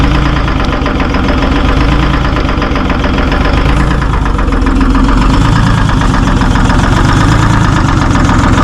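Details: Terex 72-31 with a 6V53 Detroit diesel, first start in 20 years. The heavy idle is uneven and stumbling, roughly three pulses a second, like a misfire. Owner suspects a couple of injectors are hung up; not confirmed.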